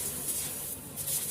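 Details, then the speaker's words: Two-door fridge with a suspected blocked cooling system, run after welding the charging valve so the compressor self-vacuums: a steady hiss of air from the capillary discharge pipe over a low compressor rumble. "Oke, unit kulkas sudah hidup dan di sini ada udara yang keluar pada pipa kapiler pembuangan ini."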